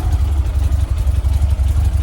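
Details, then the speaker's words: 1967 VW Splitscreen air-cooled flat-four after service with new spark plugs, HT leads and distributor cap, fuel lines tidied; earlier slight backfire cured. Deep, steady thrum with even low pulsing, no popping; normal idle and rev. "That's a hell of a lot better. Before I was getting a little bit of a backfire. With the spark plugs, leads, dizzy cap, sorted that out."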